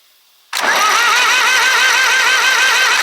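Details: Old Zetor diesel farm tractor, parked since 1986 and saved from scrap, cranked on the starter with the oil filter cracked to check oil flow: a steady whine rising and falling evenly, no binding, so the engine turns over freely.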